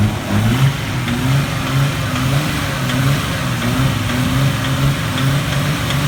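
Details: Nissan RB20DET, faint repeating knock under the hum at a steady 2,000 rpm that disappears by 2,500 rpm; persists after swapping coils, owner unsure whether rod, spark or lifter knock.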